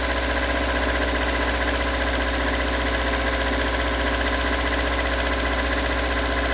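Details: Toyota AE86 stock bigport blue-top 4AGE, 195,000 km on dash (replaced cluster), unmodified, regularly maintained; cold-start idle rough with a dull knock about three times a second; cause not yet located.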